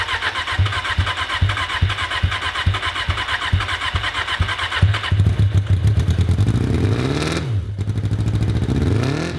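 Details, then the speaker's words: Japanese carbureted motorcycle, unstarted for years, fresh high-test fuel, starting fluid sprayed in intake, lithium iron phosphate battery: even starter cranking for about five seconds, then it catches and revs up and down smoothly; normal cranking and starting. "I found two amazing things. The lithium iron phosphate battery actually started it sitting all those years."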